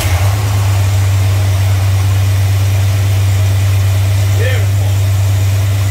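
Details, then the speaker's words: Plymouth idling after distributor cap work: steady, even low rumble with no misses; normal idle. "awesome awesome awesome there better better"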